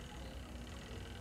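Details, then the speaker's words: Twin-tub washing machine spin dryer powered on: a faint steady low hum while the drum does not spin; the motor is stalled, possibly from an open stator winding with one line dead. "ayan hindi siya umikot pero umugong siya sa loob yyan nakauna siya oh yan Wala umugong lang siya doon"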